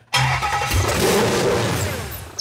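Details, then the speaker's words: Used supercharged Ford SVT Lightning engine with aftermarket blower, run on a pallet with the mass airflow sensor disconnected: catches with a loud rough surge, then dies as soon as throttle is given; stalls with the MAF unplugged. "as soon as i give it throttles when it dies"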